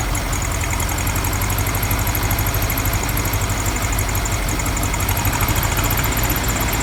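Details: VW Beetle air-cooled flat-four with a cleaned Kafer-brand reproduction 34 PICT-3 carburetor replacing the 30/31 PICT: the idle is uneven and lumpy with chuffing and clatter, not smooth. Rough idle, cause not pinned down; owner suspects jetting or other issues.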